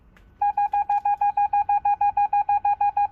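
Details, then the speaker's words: 2006 Mercedes B-Class W245 with retrofitted rear parking sensors: rapid, even string of mid-pitched beeps as the obstacle gets close enough for a continuous beep; the parking sensor buzzer works, its volume adjustable by button. "and that would be at a point where it beeps continuously"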